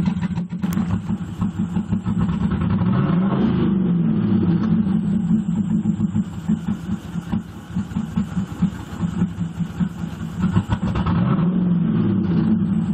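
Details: 1998 Pontiac Firebird Trans Am WS7 V8 idling and blipped with an uneven, lumpy, stumbling beat; misfire persists despite new NGK plugs, new plug wires, a swapped working MAF and normal cat temperatures; cause unknown.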